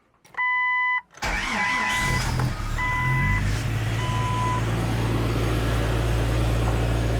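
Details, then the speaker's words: Jeep XJ started right after a tune-up (plugs/wires reseated) following fuel pressure, compression and smoke tests; warning chimes, quick crank and catch, settles to a smooth even idle, earlier miss and sputter gone, sounds a lot better. "it already sounds a lot better"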